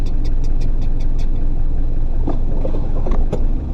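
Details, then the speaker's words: 1996-2000 Toyota RAV4 3S-FE right after start-up: sharp, quick ticking about five a second over a low engine rumble from an exhaust leak, getting louder when driving; later fixed by welding. "so this is what the exhaust leak on this car is gonna sound like right when you start it up here we go now you can hear it kind of ticking"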